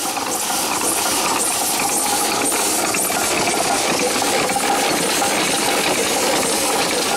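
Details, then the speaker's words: Small steam engine run on low boiler pressure, leaking badly: loud steady steam hiss over loose irregular clicking as it turns, steam blowing past worn seals; many seals to replace. "thank you and there you go so we've got a lot of seals to do and speaks to fix but we can take care of that problem"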